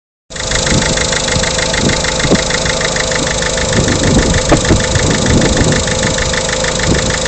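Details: Peugeot 307 1.6 HDi diesel at idle: fast rattling tick with occasional heavier irregular knocks underneath; abnormal engine knocking, source not pinned down.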